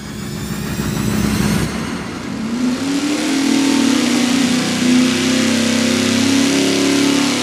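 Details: V8 on dyno at full-throttle pull, testing a budget fuel pump against others; strong, even roar climbing smoothly with no stumble or surge, fuel pressure about 6.7 psi, low 6.2, finishing 6.4; healthy fuel delivery.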